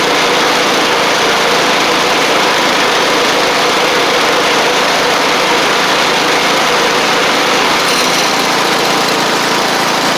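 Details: Sabre riding mower after repair (drive belt and blades replaced, a large oil pool cleaned up) gives a steady, high-pitched engine note that stays even without stumbles or rattles. Caked-on oil is burning off through the exhaust. It runs smoothly.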